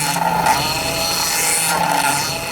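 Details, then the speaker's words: 2008 Ford Fiesta Mk6 1.2 manual, engine running with little fluid left in the reservoir: a steady high whine with a swelling groan from the power steering pump, as fluid leaks at the pipe into the steering rack. "There's a little bit of fluid still in the reservoir, so we'll start the car up and then you can actually see exactly where it's coming from. Sounds pretty noisy anyway."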